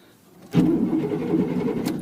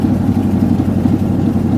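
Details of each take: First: 1988 Chevy Silverado V8 pickup, neglected, fuel-injected, low on fuel: brief crank catches almost at once into a steady even V8 rumble; starts easily, though smoky (owner says needs valve seals). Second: 1988 Chevy Silverado V8 pickup, neglected, fuel-injected, on fast idle just after starting: loud chuffy idle with raw puffing beat; owner thinks there is a hole in the exhaust, also smoky and needing valve seals.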